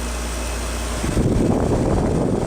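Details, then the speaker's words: 2006 LG Goldstar 6,500 BTU R22 window air conditioner, rarely used, on low fan: steady whoosh with a low rough rumble growing as the fan picks up; owner suspects the fan motor bearings are going from lack of use. "Yep, now you can really hear it. Sounds like the bearings are starting to go out in it. Probably because it's not used enough."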